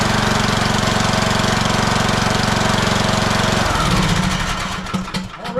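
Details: Husqvarna YTH18542 riding mower, Briggs & Stratton 18.5hp Intek single-cylinder, oil low, started on choke: fires with a steady, even beat and no misses, runs briefly to warm before oil change, then shuts down; healthy running.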